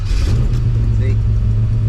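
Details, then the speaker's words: V8 in S10 drag truck just after start, warm-up idle: deep rumble with faint puffing tick coming and going, fading with rpm, not a miss; exhaust leak at the header collector gasket, third time failing. "now you can hear the exhaust leak that's happened back in and out see it goes away with rpm though which i guess it's okay there it is again it's not a miss i promise you it's a collector gasket there"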